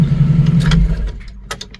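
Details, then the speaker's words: 1990 Jeep YJ 4.2L 5-speed that wouldn't start from the key without a jumper: cranks briefly, catches and settles into a low steady idle that fades off, starting by itself this time; owner still suspects ignition switch/key, cause unconfirmed. "Let's see if it starts by itself. Oh, now it starts. How random is that?"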